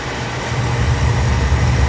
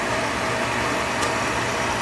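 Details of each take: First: Oil furnace after running out of oil, line bled and reset pressed: burner lights with a steady even low roar, no sputtering or pulsing; normal firing. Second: Oil furnace restarted with the reset button after running out of oil: steady motor and blower hum with no combustion, as no oil is getting through, probably due to air in the line. It shuts off after 30–45 seconds without sensing a flame.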